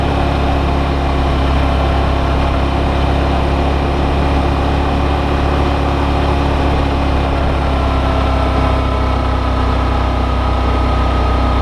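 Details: Brand-new Suzuki V-Strom DL650, comparison test ride against owner's white bike suspected of engine knock, camera on bike: even steady engine drone under way with wind rush, no ticking or knocking; normal engine sound.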